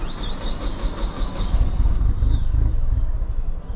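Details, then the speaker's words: Unknown vehicle cranked right after refueling: sputters, hard to start, catches briefly under a warbling chirp, then dies. A stuck-open purge valve lets fuel-tank vapors into the engine, running it rich and stalling it. "Stuck open purge valve. You see that? Sputtering, hard to start. Do it again. Starts, then dies."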